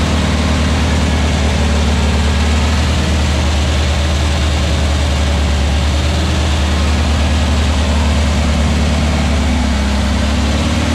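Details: Freshly built VW Beetle 1679cc single-port engine with Scat C25 cam and dual Empi ITC carbs during its 20-minute cam break-in after first start. A deep, even flat-four rumble holds steady speed with no knocks, misses or ticks. Runs healthy with timing spot on.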